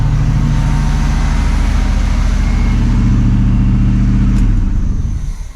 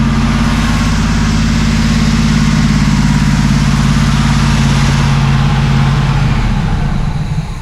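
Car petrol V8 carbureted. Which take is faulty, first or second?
second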